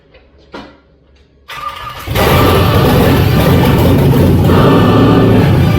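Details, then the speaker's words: 41-year-old vehicle with low 36,000-mile all-aluminum LS swap engine, fuel injectors varnished and mostly failing (only one found working): brief crank then catches cleanly into steady even rumble, no misses; normal start. "That fired right up. Yeah. A little bit of fuel there."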